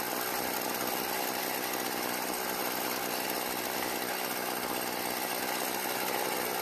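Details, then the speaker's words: Stihl FS36 trimmer out of storage, after turning the L screw half a turn counterclockwise: a high, buzzy two-stroke idle holding fairly steady with a slight waver. Idling normally. "so it starts and runs after a slight adjustment"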